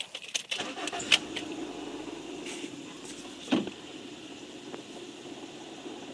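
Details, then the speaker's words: 2001 Honda Civic EX cold start after an oil change: sharp metallic rattle for about the first second, then a steady idle; the AC compressor pulley is rattling, not rod knock. "I know it sounds like there's a rod knock at the start up but it's not it's just the AC compressor pulley that's making that rattling noise"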